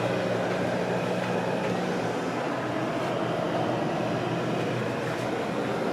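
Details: 2004 Whirlpool freezer, new but stored unused 13+ years, running after its first plug-in; a steady, even low hum with a smooth rush over it and no knocks or rattles. Normal freezer compressor running.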